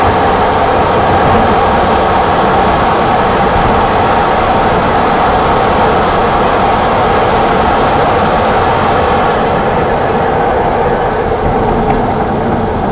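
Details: 1987 BMW E28 520i, M20 2.0-litre inline-six (129 PS), nearly 400,000 km, now running excellently; recorded on a phone with good low-frequency microphone; smooth, even six-cylinder note revving cleanly without misses, knocks or rattles; healthy engine revving.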